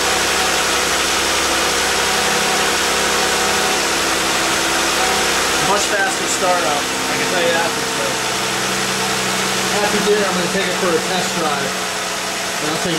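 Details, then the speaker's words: 2012+ Jeep JK with Pentastar V6, first start after new Champion spark plugs and upper intake manifold gaskets: catches quickly and settles into a steady, even idle with no misfire or ticking; starts much better. "See if I notice any difference but start it up much better"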